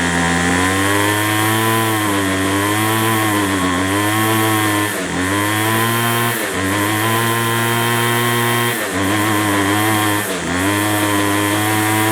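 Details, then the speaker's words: McCulloch 250C XL X-series two-stroke strimmer after a fuel filter change; it draws fuel poorly, and a carburettor diaphragm is suspected. A raspy buzz sags and recovers every few seconds, never settling to tick-over, running lean. Cause suspected, not confirmed. "We've got no tick over though. So I don't know why we've got no tick over."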